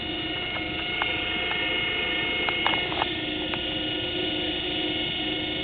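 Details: 1935 Chapman 24 V forklift DC motor, resurfaced brushes, normal wiring on a partly drained battery, armature probably warm: steady constant-pitch electric whine with faint brush hiss, no knocking or grinding; spins smoothly.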